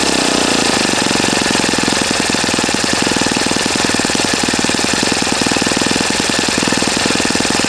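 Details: Customer's Saito FA-40a four-stroke glow engine on 11x6 Master Airscrew prop, Omega 10% fuel, new glow washer, valves set, high-speed needle opened 2.5 turns: steady high revs, crisp even firing beat, no misses; normal healthy, well-tuned running.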